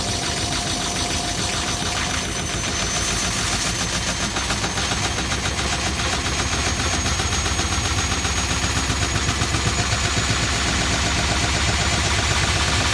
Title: Strange noise